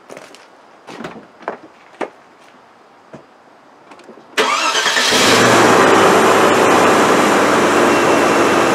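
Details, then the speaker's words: Land Rover Discovery 2 after fixing an intermittent misfire on cylinder 2 by replacing spark plugs: cranks, catches and runs steady, airy rush at first from secondary air injection; running fine. "a bit noisy at the beginning because it's got secondary air injection pressure over there packing air into it to try and lean out the exhaust thing's great everything's running fine"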